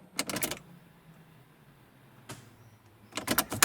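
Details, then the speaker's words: 1998 Saab 9000 CSE 2.3 Turbo, after rear ABS wheel sensor and wheel bearing replacement, ignition cycled: short ABS pump buzzing bursts and relay clicks, felt in brake pedal; normal self-test. "Yeah, you can hear the ABS module actually going in. I can actually feel it in the pedal as well."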